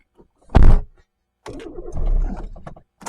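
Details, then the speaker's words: Mk1 Suzuki Wagon R+ sat untouched over a year, new battery fitted, immobilizer suspected non-functional: bursts of starter churning with uneven firing that struggles to catch before it finally starts; prolonged cranking, reluctant start after long storage. "oh come on oh she wants to live oh oh oh oh oh oh come on come on a so close hey hey it starts"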